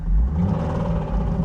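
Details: Abandoned Nissan 350Z: heavy, deep engine rumble with a rough, pounding edge under load after a clutch replacement; slight knock on startup worsened when driven, failed rod bearing knocking.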